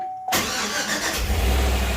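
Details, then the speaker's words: Chevy 5.3 V8 after full AFM delete and new cam bearings, first start with no belt or accessories. It catches immediately and settles into a steady, deep, even idle with no knocks or ticks and good oil pressure; minor smoke burn-off. "okay H sounds pretty good to me considering there's no belt no accessories nothing turning sweet think we got her y'all"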